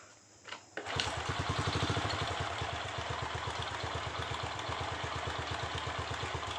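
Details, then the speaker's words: Honda Revo Absolute/Blade 110 motorcycle that kept dying suddenly, after replacing the failed regulator/rectifier (kiprok): short crank, then the single fires and settles into an even, steady putter of two or three beats a second; normal idle, fault fixed. "Oke motor mantap ya hidup kembali jadi sip"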